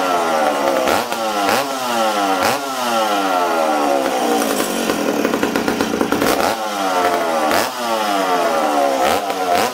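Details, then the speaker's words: McCulloch Super Pro 70 chainsaw on first run after a fuel tank repair, 45:1 mix, low jet 1¼–1½ turns out from tuning for -20 weather: revs and sags repeatedly, boggy; too rich when run indoors. "uh this saw was tuned the saw was tuned for -20 okay so this this load yet was at one and a quarter turns one and a half turns out okay uh this thing's too rich for being inside right now"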